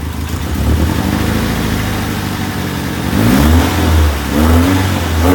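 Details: 1994 Infiniti G20t P10, SR20 four-cylinder, rough idle that lopes and surges unevenly about every second; runs rich and backfires on deceleration; cause not pinned down.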